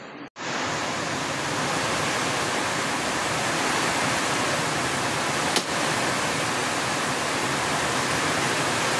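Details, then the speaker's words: LG automatic washing machine converted to manual, drain motor rewired directly to the switch: steady rush of pumped water with a smooth motor run, no knocking or grinding. Drain now runs separately from spin. Working normally. "So okay na yung connection natin dito sa switch natin. Gumana yung kanyang drain motor. Ayan, nakahiwalay na siya dito sa ating spin."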